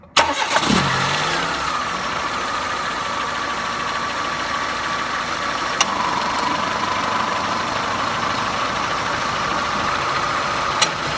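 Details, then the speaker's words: Renault car (per description) at idle, AC compressor electromagnetic clutch on a healthy car: sharp single click as the clutch plate pulls in, then a faint steady hum as the compressor pumps refrigerant; normal clutch engagement. "муфта у нас срабатывает электромагнитная пластина прижимается и компрессор начинает качать фреон по системе давайте посмотрим как это происходит живую на исправном автомобиле как у нас клацает места"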